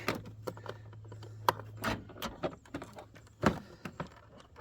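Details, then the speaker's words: 1997–2001 Jeep Cherokee XJ door after window regulator replacement, switch plugs reconnected; a single sharp clack of the lock actuator when the lock button is pressed; power door lock working. "I hit the lock button, so that's working."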